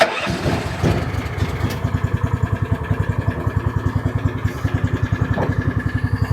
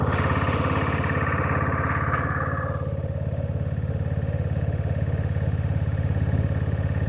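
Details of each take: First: Honda-engined side-by-side ATV, previously running rough, after motor work and reconnecting a wiring lug: catches right away and settles to an even putter of about three and a half beats a second; healthy idle, though it won't start in gear. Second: Honda-engined side-by-side after reassembly, running in neutral: steady quick even idle set too high.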